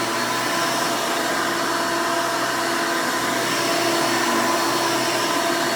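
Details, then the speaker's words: 1992 Hoover Elite II Total System Performance 650 U4689-910 upright vacuum, motor untouched since purchase: loud, steady rushing roar with even pitch, no rattles or surging; owner says it runs very nice and smooth, normal running. "and typical elite fashion this thing is pretty loud when it's running so headphone users i would advise turning down your volume for this part"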